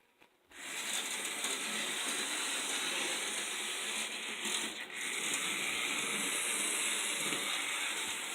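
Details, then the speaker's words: Vintage Märklin 3000 model train locomotive motor running: steady high whir with light ticking, no sparking, stumbles or grinding; runs smoothly and sounds right, though the points and possible crud on connectors slow it slightly. "This thing doesn't spark, it doesn't complain. I mean, it just sounds right."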